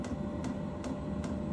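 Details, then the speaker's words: DeWalt diesel heater, newly installed, firing up as supply drops from 11.3 to 11.2 volts; crisp regular fuel-pump ticks about 2.5 per second over steady fan hum, winding up; normal diesel heater startup. "She's here firing up now. Winding up. It's 11.3, 11.2, so power the volts is going down."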